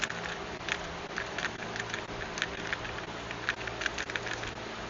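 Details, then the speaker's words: Vespa PX125E engine, cush drive removed and turned by hand: light, irregular metallic clicks and rattles, clunking thought to be from one or two snapped internal springs; cush drive later stripped and rebuilt. "Hear that rattling? That probably be uh inside there, you've got springs. So, my one or two of the springs is probably snapped. So, that'll be the clunking."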